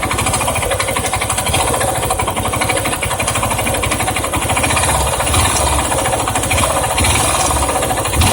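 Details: Yamaha Ténéré 250 single-cylinder at idle: fast, light metallic rattle throughout, steady with engine speed; owner suspects valves or cam chain, tensioner or bearings mentioned, not confirmed.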